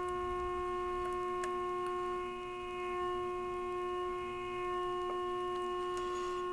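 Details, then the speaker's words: RCA 262 tube radio on the bench after replacing a burnt 1K resistor, during IF transformer alignment with an injected tone: a clean, steady tone near 350 Hz with overtones holds level; IF peaked and stable. "This is the second IF. It's definitely louder there. And let's do this one here."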